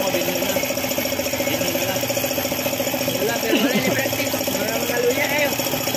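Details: Suzuki F6A engine idling with a steady metallic knock at about three and a half beats per second; the oil pump stopped working, starving the engine and causing the knocking.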